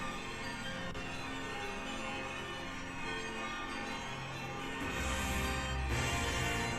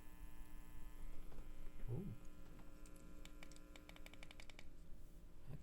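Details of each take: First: Nobsound Mini Bluetooth 2.1 integrated amp (TPA3116 chips) playing its bright, rhythmic bell chime over a quiet background once Bluetooth pairs successfully; normal connection sound. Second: Nobsound Mini Bluetooth 2.1 amplifier (TPA3116, NE5532), while connecting Bluetooth: faint steady low hum with buzzy overtones under quiet clicks; owner suspects something wired crossed up.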